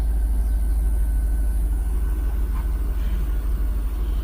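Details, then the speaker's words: 2000 Cadillac Escalade V8, after crank-no-start fixed by replacing distributor cap and rotor: smooth even idle around 900 rpm, about three pulses a second, no stumble or ticking; normal running. "After a couple of weeks of fighting this and getting his nephew out here to scan it for us and finding the problem, it's finally good to hear it running again."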